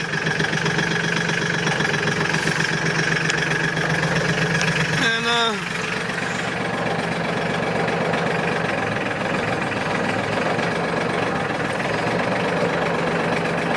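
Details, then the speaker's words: New Mahindra 1526 HST diesel tractor after top cover leak repair: steady smooth low idle, one brief squeak, no dipstick chatter or knocking; running fine. "all right nice and quiet that's good"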